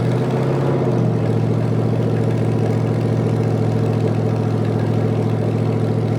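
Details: 1973 Canadian truck Chevy 350 V8, rebuilt with a replaced piston and rod, big cam and fuelie heads, warming toward operating temperature, no fan: deep, steady idle with even lumpy cam beat, no knocks or ticks; normal idle.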